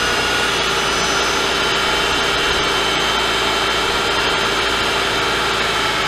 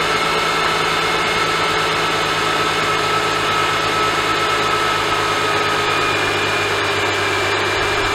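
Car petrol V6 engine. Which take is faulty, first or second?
first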